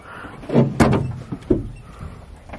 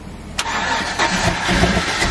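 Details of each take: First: Chevy Z71 single cab truck, after replacing a suspect spark plug: catches after a few tries and settles into a steady, slightly uneven idle; running a little better but not smooth, cause not confirmed. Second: Single-cab cateye Z71 truck V8 on its first start after its cylinders, engine and fluids were drained with the spark plugs out: the starter catches and the engine fires into a rough, uneven idle with loud clatter, then keeps running.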